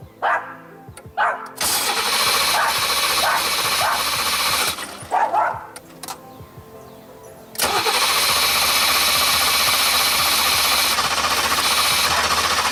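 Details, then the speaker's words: 1989 Formula, first start attempt after sitting 3 years: long steady cranking that never fires; the fuel pump can't be heard, so apparently no fuel is getting through and the owner suspects the pump died from sitting. "Dang it. I don't think we're getting fuel. I don't hear the fuel pump."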